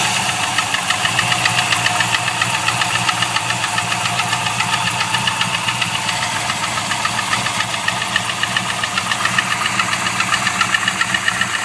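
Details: LS1 V8 at idle: sharp, regular tapping about three to four times a second over the idle; unknown internal engine knock, owner suspects gudgeon pin failure, not confirmed.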